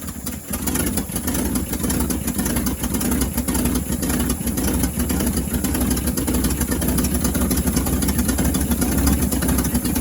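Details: 1963 International Harvester Loadstar 1800 petrol engine, first start in over 20 years on a primed carburetor; oil pressure gauge not reading. Steady, even idle with no knocks or misses; normal idle.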